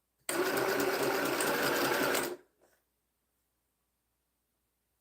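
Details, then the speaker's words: Sewing machine starts sewing as soon as it is switched on without the foot pedal pressed; motor and needle chatter run steadily about two seconds then stop. "Okay. Soon as I turn it on, it starts sewing."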